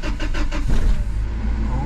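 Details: 2000 Toyota 4Runner, 363,000 miles, starting cleanly after fuel pump replacement for a crank-no-start: several even cranking beats, then it catches and settles into a smooth, steady run with a slight rev rise.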